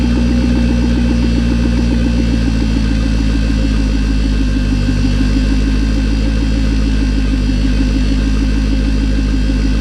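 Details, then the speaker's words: Electric turbo oil scavenge pump at front of car wired direct to battery, engine idling; constant buzzing whir over the idle, annoying despite silencing efforts, owner plans a quieter pump. "you hear the pump you hear the pumps kind of annoying well done everything I can do to silence the pump I think I'm just going to get a different style of pump that's a lot quieter"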